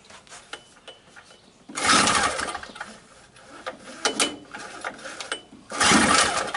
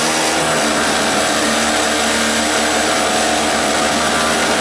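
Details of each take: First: Used 2-cycle 900 W generator, gas on and choke on: three slow recoil pulls spin the engine with no firing or catch; cranks but will not start. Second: $5 two-stroke 900-watt generator started with choke and starting fluid: steady buzzy high-revving drone at constant speed without surging or misfiring; runs well, though its voltage control is loose and the fuel leaked.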